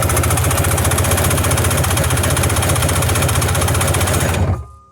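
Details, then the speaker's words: Sea-Doo two-stroke compression test on the mag-side cylinder after fixing an under-torqued, leaking head; even, steady cranking pulses about four per second with no uneven beats; reading much better than the earlier 120s: good compression. "Okay, so what do we see there? That's pretty good. That's a lot better than it was. It was way down there at 120s."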